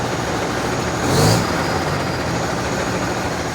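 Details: Constellation 19-320 diesel truck after engine rebuild (new piston, rebored cylinder): even diesel drone with one brief rev swell, no knocking or whistling; engine noise now gone, running clean and healthy.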